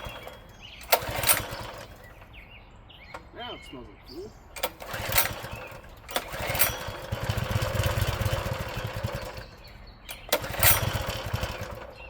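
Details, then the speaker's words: Old Honda GX engine on a tiller, sat about 6 months to a year: a few cord pulls, then the small single catches and runs with an even, steady beat; starts normally after storage. "It's been sitting about uh probably about 6 months to a year, I'd say. And it's an old Honda motor. She'll fire right up."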